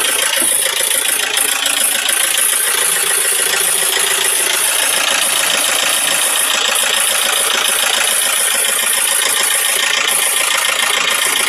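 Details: Isuzu 4JG2 diesel running with a sharp metallic rattle about twice a second; valves striking the pistons.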